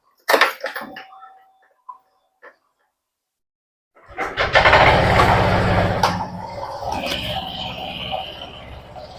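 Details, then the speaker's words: Honda Vario 125 scooter after CVT disassembly, cleaning and reassembly; owner cleans the CVT monthly and rides about 100 km daily. After some handling rattle the engine catches and settles into a steady, even idle with no knocks, sounding healthy. "He suaranya bagus ini karena saya rutin saya rutin bersihkannya tiap bulan ya karena saya pemakaiannya tiap hari jarak yang itu sekitar 100 kilo."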